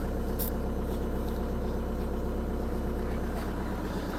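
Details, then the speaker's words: Audi A1 diesel (called a 1.9 TDI) at idle after a fuel filter replacement; the fuel system is purged and about to be checked for leaks. Even diesel clatter, no misses or hunting; normal healthy idle. "3 litres de V6, brrr. 1 litre 9 TDI, bonjour. Là c'est purgé, on va aller voir si ça fuit."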